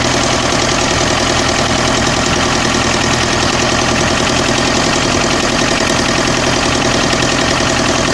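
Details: Mercedes OM601 2.3 diesel at idle: loud, irregular hard knocking, roughly two to three knocks a second, over a noisy clatter; engine knock, cause unknown.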